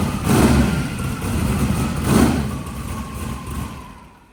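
Engine fires, gives a couple of quick revs, then settles into a smooth, even idle before fading out; it sounds healthy.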